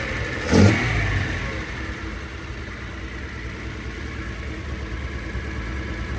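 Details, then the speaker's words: First run after rebuilding Solex Mikuni Type R carburetors, untuned, carbs left as when removed: short burst as engine catches, then settled, slightly uneven idle hum; normal idle. "But this is like, I haven't even like really tuned anything. This is exactly how the carbs were when I pulled them off, like all the"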